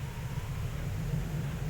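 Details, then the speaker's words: 2005 Ford Explorer with code P0190 and 14 stored codes, idling barely at 600 rpm, before TPS replacement: low, uneven, lumpy wavering rumble with no steady rhythm; rough idle, cause unconfirmed. "It's a rough idle. This is before the TPS is being changed."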